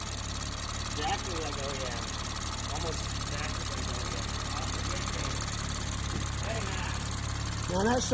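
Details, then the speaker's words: BMW M240i with newly built B58 engine (rated to 1000 whp) after catastrophic failure, first start after new plugs: steady, even low idle, no knocks or ticks, background chirping; smooth, like the stock motor. "Now that sounds beautiful. Sounds exactly like the stock motor. I can't believe it. It sounds so smooth."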